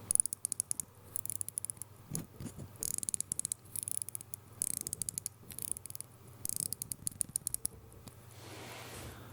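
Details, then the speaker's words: 1952 J.W. Benson watch with 15-jewel Smiths movement, microphone just off camera: rapid bursts of fine, crisp clicks with each crown turn; distinctive Smiths winding sound, normal winding. "Now here's that distinctive Smiths sound when you wind it up."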